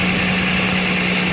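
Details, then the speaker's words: 2009 Toyota Land Cruiser GXR 1GR V6 at idle with a hissy puffing edge from an exhaust leak on the left side of the engine, exact spot not yet known: manifold face or lower pipe. "الموتر جي اكس ار 2009 سته سلندر في تنسيم في جهه او من جهه يسار المكينه"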